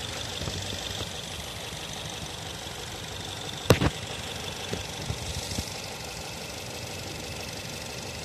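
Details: Nissan Tiida petrol engine idling unevenly, with irregular thumps and stumbles, misfiring from a spark plug problem.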